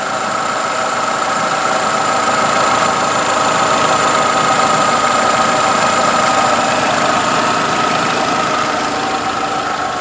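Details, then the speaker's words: 2011 Nissan Altima 2.5 SL, 76,000 miles, well maintained with oil changes: quiet even idle with soft steady hum and faint belt whine, no ticks or knocks; pretty quiet car, normal idle. "So that is what a Nissan Altima with the 2.5 2011 engine sounds like. With 76,000 miles on it. It's been well maintained with oil changes."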